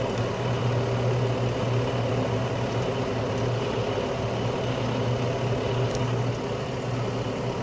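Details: Carrier Infinity 96 (58MVB-080) gas furnace heating on low stage after the blower-on delay, with the blower now back on pushing warm air through the house: smooth, steady low hum and even airflow rush with no knocking or scraping; normal low-stage heating.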